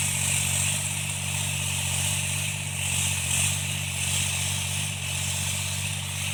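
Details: Tractor diesel cultivating after an engine-knocking repair: even, unbroken drone pulling steadily with no knock in the rhythm, running normally and healthy under load.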